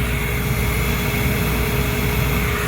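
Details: Trane gas package unit over 20 years old, no-heat call, after lockout and igniter check: steady even burner roar with constant hum, no pulsing or popping; smooth light-off and normal firing.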